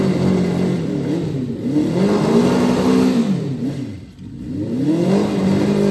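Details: Honda 400 Four after valve clearances set by feeler gauge, before ignition timing set: repeated blips, revs climbing and falling smoothly, steady exhaust note, no knocks or rattles.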